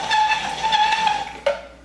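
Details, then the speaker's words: Tupperware Maître-saveurs manual meat grinder making turkey sausage: steady high squeal with bright overtones that drops and fades, dry friction of the auger running empty until meat arrives; squeal means more meat is needed. "Et ça fait toujours ce bruit-là au début, jusqu'à temps que la viande arrive. Puis une fois que la viande arrive, on dirait qu'il n'y a plus de friction, puis il y a comme du gras et tout ça, là, ça tourne super"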